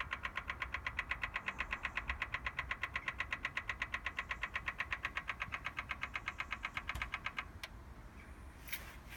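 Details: BMW M4 Competition Pack, ignition off, from cold: intermittent crisp, even clicking at nearly three a second that starts as soon as a door or the boot is opened, then stops; the engine is not running.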